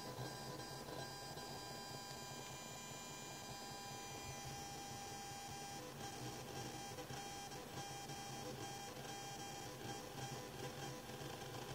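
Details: Genelec 8020B active speakers fed via XLR-male-to-RCA mono adapter and 3.5 mm jack from an Asus Xonar DG PC soundcard: steady buzz with thin constant whine and faint ticks, noise also when moving the mouse; ground loop, fixed with a Genelec-recommended cable.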